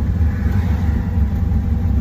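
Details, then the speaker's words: 3rd-gen Camaro, fuel level unchecked: an uneven, lumpy low rumble surges and sags as the engine starves for fuel and the tank runs dry; the fuel pump still works. "And then when we were driving, I heard it making noises and I'm like, I bet it's out of gas. And now it's out of gas."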